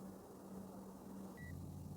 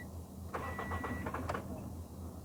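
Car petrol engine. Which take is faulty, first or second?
second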